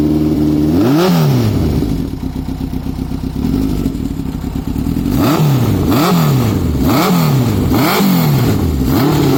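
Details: Honda CB900F 16-valve inline-four motorcycle: smooth engine blips cleanly up and settles back each time, even firing, no knocks or rattles; healthy.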